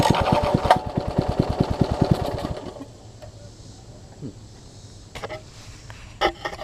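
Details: Troy-Bilt Tuffy rear tine tiller with a new, possibly imperfectly fitting carburetor diaphragm, exhaust and intake tube refitted: fast, uneven popping for about two and a half seconds, then silence. Stalls from fuel starvation.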